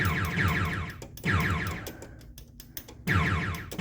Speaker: hey that sound effect sounds fine okay maybe that sounds normal